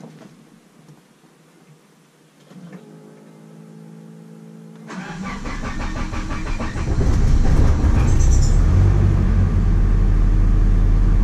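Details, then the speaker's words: Nissan 240SX after fuel tank swap with new pump, OEM rubber lines and cleaned sending unit, microphone at the rear: fuel pump hums priming, starter cranks briefly, fires cleanly, revs and holds a smooth steady idle; no problems after install. "Sounds amazing. Looks amazing. Spot on perfect. So yeah, install went good. fires up, sounds good."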